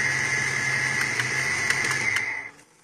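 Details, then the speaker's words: 5.0L Mustang with EEC-IV TFI ignition: it idles steadily with a high whine, then cuts out abruptly and spins down to silence when the TFI module is tapped. The failing module drops out, confirming intermittent stalling from a bad module. "look at that it stalled hmm did I catch that on the waveform I don't know yes I did"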